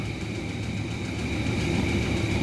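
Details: 2017 Hyundai Elantra 1.6L petrol engine idling with a deep rumble and faint repeating knock, with loss of compression and starting problems; engine to be torn down for repair, rod bearing knock.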